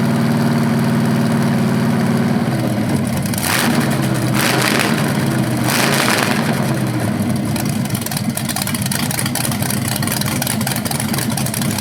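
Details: BluePrint 396 big-block crate engine for a 1970 Camaro SS, first run with headers and flywheel: steady lope, clean blips dropping back evenly; healthy, though a slightly different rev sound is noticed, unsure if headers or flywheel.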